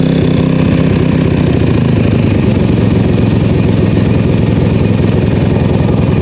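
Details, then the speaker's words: PowerSmart MB5040B 4400-watt generator, cold start after sitting outside overnight at 25°F, with choke fully on and eco mode off. Loud, steady low chugging at constant speed with no hunting or misfiring: a normal settled no-load idle. "it's now running smoothly"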